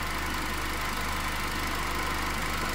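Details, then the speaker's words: Toyota Corolla petrol engine, previously shaking with misfire: steady even idle, no cylinder misfiring now, RPM dropped from over 1000 to normal. "Misfire. Ningún cilindro está fallando ahorita."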